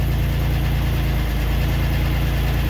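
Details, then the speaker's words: Pontiac Grand Prix GTP with freshly installed 3800 engine, ZZP coils, first start: deep, steady idle with light, quick, regular tick and a little smoke; owner suspects exhaust leak, unconfirmed. "Little tick, little smoke. Exhaust. Not as normal. Sounds good. A little tick."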